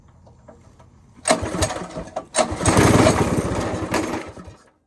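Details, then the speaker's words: Go-kart small engine after carburetor rebuild with stage 1 kit and rejetting: catches in ragged, uneven bursts, surging then sagging and dying instead of idling steadily; owner believes the wrong carb gasket was fitted, causing an air leak. "When I put the carburetor back on with the stage 1 kit after one of my rebuilds for it, I think when I rejetted it, I put the wrong gasket on."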